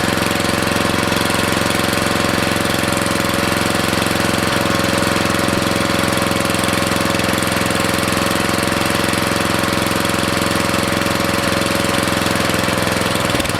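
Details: Briggs & Stratton 13.5 cast-iron-sleeve riding mower engine running with air filter refitted after oil had likely entered through an open exhaust valve while tilted; steady, even single-cylinder beat with no misses or knocks, smoke clearing as oil burns off: running well.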